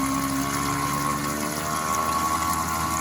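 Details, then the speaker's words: Steady pump drone with a thin high whine near 1 kHz during a toilet flush after replacing the flush valve and handle; the plug had turned oddly and blocked the water from coming through. "Oh, I see what's happening. We've got something wrong with the plug here. Aha. Don't ask me how, but somehow that turned in a strange way that prevented the water from coming through."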